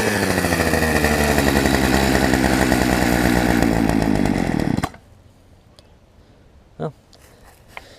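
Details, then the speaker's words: Poulan Pro 18" two-stroke chainsaw, revived from an equipment lot and running again, cutting a log: strong even snarl holds steady under load, then the engine cuts off; it later ran out of gas. "think my camera's dying but y'all saw it cut a tree so I'll leave the video here"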